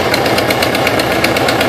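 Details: 2005 Subaru Impreza WRX after rebuild with freshly rebuilt heads: sharp even ticking about eight a second over a rough idle, suspected rod knock or sticking valve, later found to be a very bad exhaust leak; new header fixed it.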